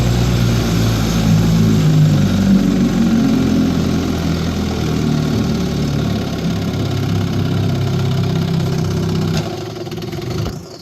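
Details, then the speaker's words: 1955 Johnson QD-16 outboard, carb believed clean: lumpy uneven low-speed running that hunts, then sags and dies; won't idle cleanly and hard to start in neutral, only starts in gear. "but uh doesn't run well in uh um uh in low speed it's not idling well and um doesn't really want to start unless I'm in uh in gear"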